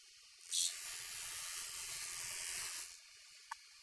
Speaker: so when i hear that that cutting noise as i take it through the entire length i know that it's now been flattened